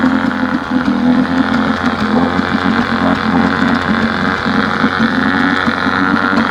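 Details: 1971 Johnson 9.5 HP outboard after magneto rebuild, carb cleaning and fuel pump upgrade; previously wouldn't stay running without choke; morning test run, now steady even buzz without choke, no stumbling or surging; normal running.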